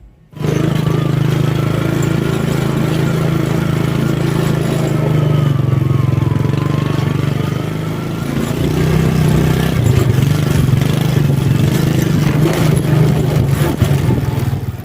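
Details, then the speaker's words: Motorcycle riding at low-to-mid revs: steady engine drone with a constant buzzing vibration from the rear, typical of a worn or damaged rear shock absorber. "ini nanti kalau kita taruh di sini ternyata bunyi telurnya itu hilang berarti bisa dipastikan bahwa itu adalah shocknya yang rusak"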